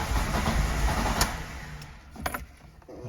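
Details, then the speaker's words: Lada VAZ 2109 with 1.5 engine that suddenly stopped starting; it has spark, and the pressure regulator module was replaced after no rail pressure. After clearing error 0336, long uneven cranking gives a few weak firing pulses that fade; engine barely catches, cause still unclear. "О вже щось щось хватило щось починає хватати Ну вже якийсь хоть якийсь признак"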